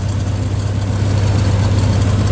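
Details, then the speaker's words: 1962 Dodge M37 flathead after sitting about 45 years, on a temporary fuel feed with the accelerator pump likely not working, idle screw turned down: low, steady, soft rumble with no knocks or misses; normal idle. "Not bad at all. See if we can idle it down just a little bit more. There we go. That sounds a little bit better."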